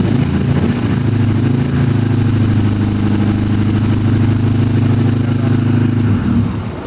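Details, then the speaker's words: Chevy LUV truck, just fitted with a turbo: lumpy, uneven chugging about three beats a second, barely running. It sounds like only two cylinders fire, because the plug wires for cylinders two and three were swapped due to wrong distributor rotation. "what do you have the firing order set up it's on the cap sounds like it's only running on two try it again"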